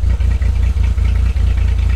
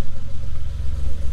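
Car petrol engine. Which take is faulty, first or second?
first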